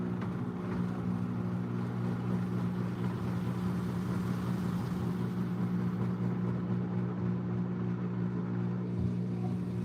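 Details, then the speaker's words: Washing machine spinning a smaller load full of suds: low droning hum that holds steady instead of climbing to full spin; the drum is struggling to reach speed, and the belt is heard slipping soon after. "It's definitely struggling."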